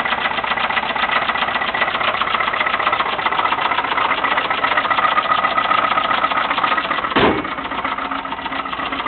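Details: 1989 Dodge truck 318 V8 with high mileage at idle: loud rapid metallic knocking about four per second, steady and persistent, deep internal engine knock of unknown cause.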